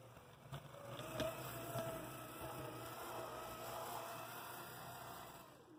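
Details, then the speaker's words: AC Gilbert Alco diesel model locomotive under restoration, new drive shafts installed, shell removed, no extra weight added, on track: quiet, even motor hum with soft rail clicks at a slow crawl, no binding or grinding; normal slow running. "nice slow speed so as it's a totally acceptable"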